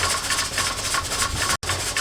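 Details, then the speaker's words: Presto pressure canner processing raw-pack carrots: quick repeated hissing puffs as the weight rocks too fast instead of slowly; heat too high, being turned down gradually to avoid jar siphoning. "this rocking is supposed to be at a slow rocking and it's getting pretty quick I'm going to just touch it down a little"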